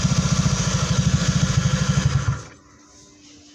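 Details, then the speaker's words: Honda Beat scooter after repair of a CVT-area rattle first blamed on the gearbox, caused by a clutch-lining retaining plate: even, regular idle with no jingle or rattle from the CVT side; runs smooth, normal idle. "Sudah tidak ada suara kasar"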